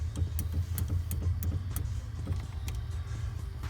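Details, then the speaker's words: 1984 Porsche 944 with a rust-packed fuel tank replaced, fuel pump run from a battery with the DME relay jumped: low electric hum with uneven light knocks as the pump labours; it is clogged and needs removal and cleaning or replacement. "so I'll go ahead and connect it here and I'll hear it running but I do hear knocking from the pump when I do that"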